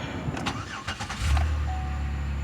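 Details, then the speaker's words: 2008 Buick Lucerne after new fuse box fitted to cure crank-no-start (common GM fuse box problem): brief cranking, engine catches within about a second and settles into a steady even low idle; fires right up, healthy start. "we go fires right up should be good to go"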